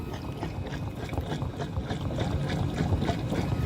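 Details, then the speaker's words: Drain cleaning machine cable in a backyard drainage line from 1988, heard at an exposed section after cutting through tree roots from the catch basin: a low, steady churning rumble with uneven ticking. The cable spins freely and the line is clear with good flow. "so we've got good flow and a good clean line from back there where Chuck's at got through all these tree roots"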